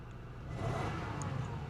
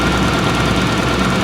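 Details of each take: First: 2000 Toyota Camry V6 bought sight unseen from insurance auction: low, steady engine hum with no stumbles or skips after earlier misfiring stopped; A/C running ice cold; engine running really well at the moment. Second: 2000 Toyota Camry V6 at idle outside before test drive: rough, lumpy idle with uneven knocking beat, stumbling on a cylinder; definitely misfiring though it felt smooth inside the car and the check engine light seemed off.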